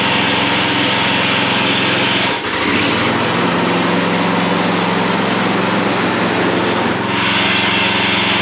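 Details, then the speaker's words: John Deere 14SB mower, garage-sale find revived: small engine drones steadily and an awful added hum appears when the blade clutch is disengaged; bad blade brake clutch bearing, later replaced with a 6205 bearing. "Um, but there is an awful sound when the blade isn't turning. So, there's got to be a bearing that's bad."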